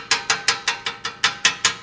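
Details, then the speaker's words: 1996 Honda Accord LX, 197,000 miles, engine off, from underneath: tinny metallic rattle, about five taps a second as the muffler heat shield is shaken; broken weld and crack let it rattle, to be welded or removed. "Hear that? That's I'm pretty sure that's the rattling. It's got a crack right here."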